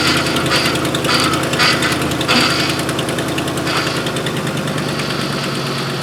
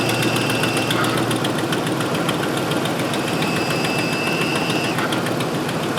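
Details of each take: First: 2005 Ford F-150 with tow package after replacing the power steering cooler-to-reservoir return hose, turning lock to lock: rough pulsing groan over the engine as the pump is starved; it took a lot of fluid, no leaks. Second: 2005 Ford F-150 FX4 with finned power steering cooler (tow package), after replacing the cooler-to-reservoir return hose and refilling with Mercon V: engine idles evenly, only a faint steady pump tone that fades, no groaning or moaning; power steering sounds normal, no leaks.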